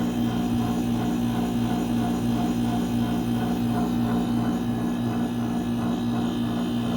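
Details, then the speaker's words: Mini split AC after replacing the faulty capacitor: steady, even compressor hum with a regular fan beat and no rattles or clicks. The unit runs normally, and the lines sweat and go icy cold. "Bueno, aquí ya reemplazamos. Más o menos ese es el sonido que debe de tener. Y lo que es la tubería empieza a sudar y a quedar helada."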